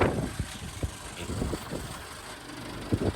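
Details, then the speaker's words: BMW X5 E70 50i with an N63B44 engine that stopped while driving on the highway. Cranking yields only a few irregular dull clunks from the starter with no engine rotation. Seized engine, starter unable to crank. "ale dostal som sa do bodu, že počujete iba hluk zo štartéra a nie je to žiadny pohyb, potom som si uvedomil, že motor je s najväčšou pravdepodobnosťou zastavený"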